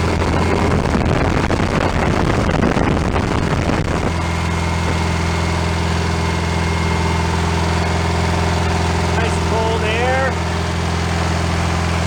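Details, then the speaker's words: 1965 VW Beetle rebuilt air-cooled flat-four, first run-in off the car after fixing small carburetor fuel leaks: louder run-up for a few seconds, then smooth steady idle with even beat, no knocks or misses; normal healthy idle. "all right we're good to go sounds pretty good so"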